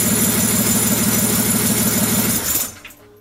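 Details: BMW M57 diesel for a Land Rover Defender swap, on the engine stand with no exhaust pipe fitted; loud raw clatter at a steady idle beat, then it cuts out. Normal running, just unmuffled.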